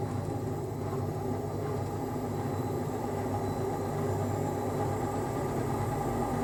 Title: Unbalanced rattling spin with bad bearings